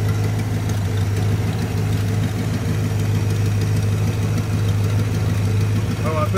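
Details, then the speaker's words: 1965 Chrysler Newport police car, started cold after sitting, with a new fuel filter that picked up gas; deep, steady V8 idle with an even low burble, no misses or knocks, warming up. "new filter on it last time I drove it I forgot it picked up gas it's good now we going let it sit here and warm up"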